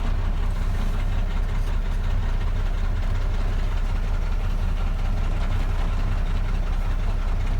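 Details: 2010 Mack Granite truck with MP8 diesel, hard starting and power loss, DPF problem message: deep, uneven, lumpy idle around a couple of pulses per second; owner suspects DPF or injector caps, not confirmed.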